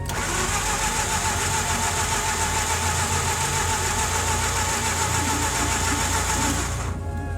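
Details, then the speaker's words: Mazda RX-8 Series 1 with suspected coolant seal failure, deliberately flooded, K-Seal added, gas pedal held down while cranking: steady fast cranking about three and a half beats a second, never catches; flooded rotary, long crank no start. "we're cycling the coolant and we got to hold the gas pedal down when we crank it right yeah to keep it from flooding us up"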